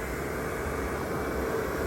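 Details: RV furnace after blower motor replacement, lit on the second try once air cleared from the gas line: steady even roar from burner and fan, no surging, clicking or rattles. Normal furnace operation.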